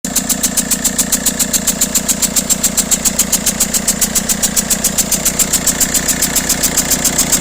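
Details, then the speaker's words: Peugeot/Citroën DV6 1.6 HDi diesel at idle: sharp, regular chuffing ticks about four to five a second over the rumble, from a leaking injector seal letting exhaust gas pass between the injector well and the head, polluting the oil and risking turbo failure. "cette soupape problème récurrent qui engendre des casses turbo donc les gaz d'échappement arrivent à pénétrer à travers le joint tous ici là entre le puits de l'injecteur et la culasse et ça vient polluer l'huile"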